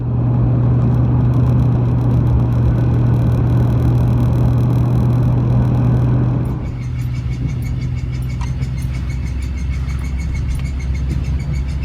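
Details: 1999 Chevy Silverado Z71 driving: heavy, low droning driveline vibration from 55 to 75 mph, plus squeak at low speed. Caused by a worn driveshaft U-joint with a broken cap and no needle bearings; both U-joints replaced.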